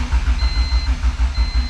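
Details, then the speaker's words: Honda car, first start after a wiring short: steady starter cranking at about five turns a second with no firing. The ECU is in prime mode but the fuel pump doesn't run, even though fuses and relays were checked and the pump relay clicks. Battery is weak. "I don't know man let's just and crank as you can see it's in the prime mode no fuel pump"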